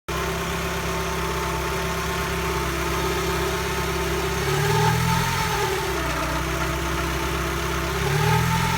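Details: Mazdaspeed Protege after engine rebuild, idling: a thin steady whine rides above the engine and climbs briefly with each throttle blip; source of the whine not yet found.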